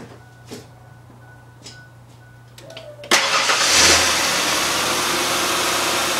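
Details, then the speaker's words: Ford Explorer after a water pump replacement, with the coolant bled and topped off and no leaks seen. It starts after brief cranking and settles into a steady, even idle, smoother than before and stock-sounding: normal idle. "uh runs a lot smoother it sounds it sounds good sounds like stock you know doesn't sound like it's old and old and busted as it just sounds it sounds clean and seems to run pretty smooth"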